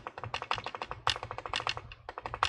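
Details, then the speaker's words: HP 15 (15-cs0053cl) laptop after replacing swollen battery that had pushed up the touchpad: rapid crisp plastic clicks, about ten a second, touchpad clicking normally again. "and here right now I can feel like the clicker is clickable I can hear the clicking"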